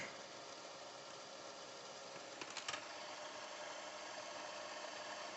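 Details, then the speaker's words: Panasonic AG-2550P commercial VCR with rare K-mechanism chassis, fast-forward test: even, steady whir of tape winding at reasonable speed with one brief light click, no grinding or squeal; transport healthy. "let's press stop close edge i mean fast forward and fast forwards at reasonable good speed"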